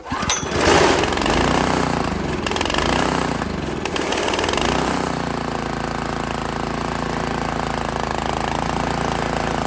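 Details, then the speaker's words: Honda GX160 on Workman 2 Multimixer cement mixer, reassembled, fresh fuel, choke on, mixer not level; hunts and stumbles unevenly then settles into a rough uneven beat. "well that didn't go so well"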